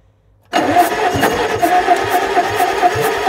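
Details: Circa-1950 Bucyrus-Erie 22B cable shovel that sat since 1999, start attempt after the cylinders were cleaned out. The engine catches and runs with a short high chirp about every half second; the still-engaged starter Bendix is suspected.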